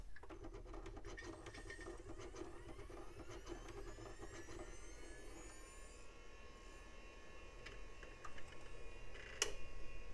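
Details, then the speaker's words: Compaq Presario 4240ES hard drive after several power cycles with full spin-down: a slow, rising spin-up whine with irregular ticks and the head scratching against the platter; the drive is failing. "Oh, right at the end there. I hear the head scratching against the disc. Yeah, this one may not have any hope."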